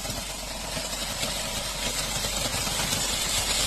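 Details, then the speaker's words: 2019 VW Polo 1.2L with dual-clutch gearbox, wouldn't drive in D, spanner light blinking, codes P77B/P175E/P176F; harsh rough grinding over steady idle in Park; suspected failed dual-clutch (multi-clutch). "शायद इसका देख सकते हैं multi colour टूट गया है इस बार। बहुत बुरा आवाज कर रहा है।"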